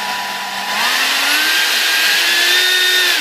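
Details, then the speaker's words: Durafly DH 100 Vampire MK 6 EDF fan after balancing (factory fan was badly out of balance, causing racket and vibration): clean high whine rises and falls smoothly with throttle, no wobble or buzz; balanced fan running smoothly. "that's a pretty pretty big Improvement guys okay throttle cuts on"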